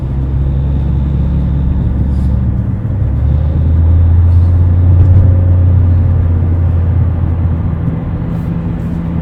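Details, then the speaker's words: 2009 Nissan Altima 2.5 CVT driver's front wheel bearing: deep, steady growling hum under road noise while cruising, loud at 40–60 mph; worn front wheel bearing, replaced with a Timken hub assembly. "this one was making a really loud noise at about forty to sixty miles an hour and I'll I have a clip of the the sound it was making so you can hear what it sounds like"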